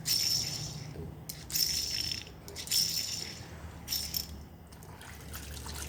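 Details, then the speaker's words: Removed car wheel bearings spun by hand: gritty, hissing rattle with faint squeaks dying away as it slows, louder and rougher than a new bearing; both inner and outer bearings badly worn, felt as rough vibration, causing brake noise. "Memang ya semua lahar diputar bunyi ya, tapi kan beda ya, suaranya beda antara yang lahar yang baru sama yang udah rusak. Sama-sama bunyi, cuman kalau yang rusak kan lebih keras bunyinya, bagian kasar nih."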